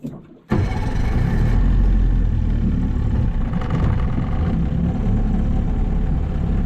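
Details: Outboard on a $700 auction boat at wide-open throttle on the lake: ragged, spitting and stumbling instead of a clean howl, misfiring; the owner suspects it needs carb tuning or time to burn deposits off.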